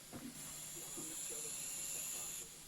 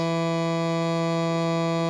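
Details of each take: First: 1975 JVC 9407LS radio cassette player after contact spray on the record switch, whose bad contacts caused hum: only faint even tape hiss, hum and buzz gone; normal playback. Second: 1975 JVC 9407LS radio cassette player on cassette playback: constant low, even buzzy hum throughout; suspected to come from the record switch, to be examined later.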